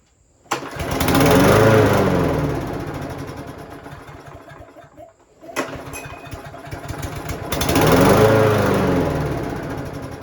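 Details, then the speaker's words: Craftsman lawnmower with Briggs and Stratton engine, starts then quickly dies; fixed by cleaning the carburetor bowl and jet. Fires, runs a second or two, fades and dies, restarts and sags again. "In this video, I'll show you how to fix a lawnmower where the engine starts but quickly dies."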